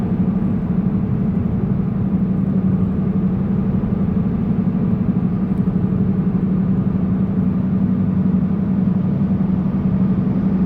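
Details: Car driving: a steady low droning rumble under the road noise from the front driver's side, louder on acceleration, with steering wheel shake; possibly a bad wheel bearing, unconfirmed.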